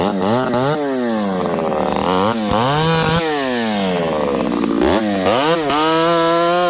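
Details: Ported Homelite 922 chainsaw after clutch and fuel line repair and cooler heat-range plug, cutting very hard wood: high two-stroke scream bogging under the cut and snapping back cleanly between passes; normal, healthy running under load.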